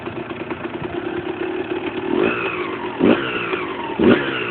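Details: Husqvarna SM 125: rattly clatter at idle with three sharp throttle blips, metallic knocking riding on the revs; loose nut on the crankshaft.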